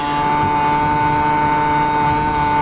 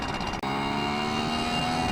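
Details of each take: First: Yamaha QT50 two-stroke moped with upgraded exhaust, new primary jet and ram air, on a top-speed run near 35 mph, temperatures staying good: loud buzzy note held constant at full throttle without stumbling; normal full-throttle running. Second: Yamaha QT50 two-stroke moped with upgraded exhaust, changed carb jet and ram air, at about 25 mph at wide open throttle: high drone that sounds soft and blubbery. Needs a leaner jet. Rich mixture at wide open throttle.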